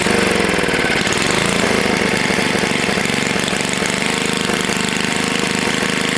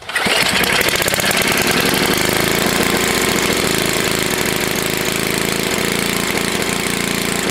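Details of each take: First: Long-sitting Tecumseh HS40 small engine restarted after carb cleaning, one jet still uncleaned, held at low rpm on purpose: single-cylinder putters at a low even idle, steady firing, no misses or knocking; normal low idle. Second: Tecumseh HS40 small engine, long unused, after carburetor cleaning with one jet still uncleaned: catches and holds a fast, even full-speed buzz with no drop because the throttle plate is stuck open; shut down.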